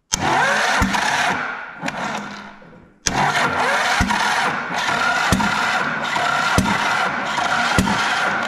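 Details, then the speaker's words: Long-sitting 12-valve Cummins cranking slowly on a weak battery: sharp backfire pops roughly every second over the starter churn. Bent pushrods were then found. "hear that backfiring noise that's a bad noise I wonder what hole's doing that"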